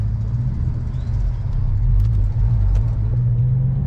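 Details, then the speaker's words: Lexus GS400 with newly installed CBS Racing limited-slip differential, sharp full-lock left turn out of a parking lot after highway cruising (60 mph at 1800 rpm): only low, smooth road and engine rumble, no chatter or clunking; normal LSD operation, zero noise. "Okay, no problem, no noise. Zero noise."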